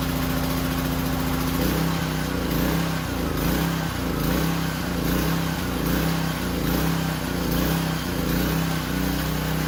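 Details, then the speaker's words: Powerstroke 2200 PSI pressure washer small engine, cold start after fuel line reconnected: slight early surge settles into a steady even beat, running far better than before; normal running. "okay so it surged a little bit when it first started up but I mean it it it went away and kept running it was running way better than before"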